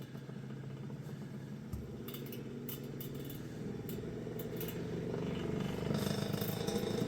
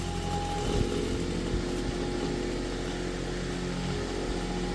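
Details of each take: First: Vintage Kenmore fan on its first power-up after purchase, running fast: motor hum climbs while it shakes with uneven rattles and clatter, then it quits vibrating and the weird noises stop once up to speed. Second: Vintage Kenmore fan after repair, rotary switch newly wired in: steady even whir at constant pitch, no knocks, scrapes or rattles; motor running fast on high speed, not exactly quiet but healthy.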